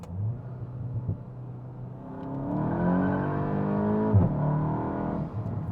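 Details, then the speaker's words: Tuned Mk8 GTI with 034 dog bone mount upper and lower inserts, second full-throttle test in second gear: engine note climbs smoothly, no shudder or chatter; no wheel hop. "Nope. Wow, that's awesome, guys. No wheel hop to be had."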